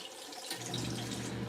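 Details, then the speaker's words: LG ThinQ MEGA Ultimate washer on the Deep Wash cycle with default settings: the drain pump kicks in with a steady low hum and heavy water splashing out the drain hose. Normal drain. "You could hear it coming out of that drain hose."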